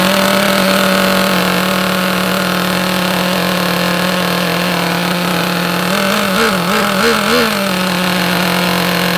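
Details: Vintage Traxxas nitro RC buggy, first start and break-in tank after glow plug check: high, buzzy small-engine drone holding steady with quick throttle blips around seven seconds; fires and runs cleanly.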